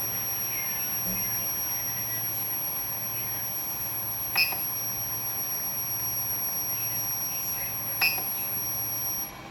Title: coil whine sound on PSU